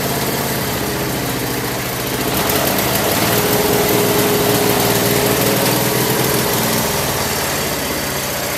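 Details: Craftsman lawn tractor after no-start repair with new carburetor parts including float needle valve, idle over a year, full gas tank: steady, even engine drone at one speed, no misses, knocks or surging; normal running.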